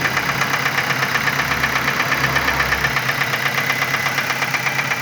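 A light, sharp tick repeats about twice a second over a quiet idle; something is ticking in the engine, cause unknown.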